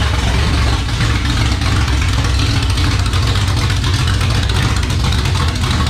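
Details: First start of a 360 small-block stroker in a 1978 Dodge Warlock truck: deep, even V8 rumble picking up cleanly with throttle and settling back, no misses or knocks. Healthy, 75 psi oil pressure at idle and just over 80 revving, high-volume pump.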